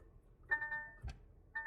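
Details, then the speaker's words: DAF XF truck: bursts of bright electronic dash chimes each time the harness is moved; VCAN 2 CAN high and low wires to the EBS ECU cut and bared, dropping communication. "So it looks like someone's cut into VCAN 2. And when I manipulate these wires, it sets the warnings off on the dash."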